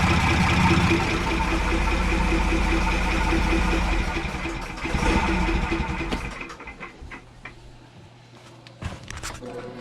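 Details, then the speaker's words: Sailboat diesel engine first start after years unused (boat 22 years on the hard): even diesel clatter at idle, about four beats a second, steady with no misfire or knock; healthy idle. "the good news is the engine is running like great like that it's running perfectly this sounds really really good"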